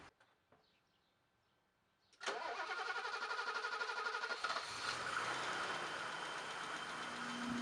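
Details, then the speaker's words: BMW M535i before a valve adjustment: the engine starts, then runs with a heavy misfire at idle and a light, quick ticking from a couple of valves. The noises fade when revved; the owner suspects the valves. "You'll be able to hear it's got a pretty heavy misfire at idle, and a couple of the valves are definitely ticking. As I rev the engine up, and they kind of go away."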